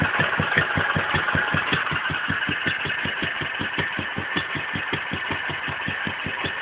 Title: my wolseley wd 2 1st fire up after rebuild